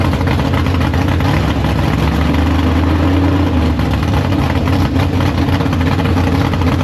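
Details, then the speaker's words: Big block Chevy V8 in the Farm Fresh gasser, first start after sitting, 750 carb, downjetted; deep, loud, lumpy idle holding steady with no misses or knocks, up to temperature, no leaks. Healthy normal idle. "But the thing runs. I got up to temp and everything like that. We just checked, made sure it goes forward, backward, no leaks."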